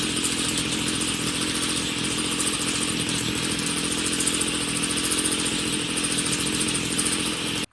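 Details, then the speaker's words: Homelite weed eater (two-stroke) that wouldn't start; dirt found in carburetor, now running but poorly: steady high buzzing, rough and uneven, sounds a little rich so mixture is being leaned via low/high adjustments; likely needs a new carburetor. "all right sounds like it's a little rich we're gonna lean it out a little"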